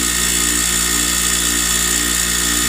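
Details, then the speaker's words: Newly mounted wire wheel on a bench grinder at full speed: steady high whir with faint scratchy rasp as loose wire bristles strike the guard. "so let's turn it on to see how she does [Music] some of those little wire things are hitting right here"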